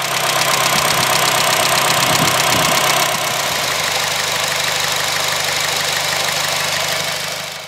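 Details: Honda Fit GE8 after valve adjustment (some valves too tight, some too loose) to cure a loud valve tick: loud, steady idle with an even beat, running smoothly with no obvious valve tick.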